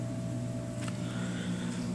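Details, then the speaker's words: Canister filter on a replumbed 125-gallon Oceanic aquarium: constant low electrical hum with buzzy overtones; owner suspects overly long output tubes reduce filter efficiency, causing loud humming. "i don't know if you guys can hear the humming sound but that's coming from the full sir"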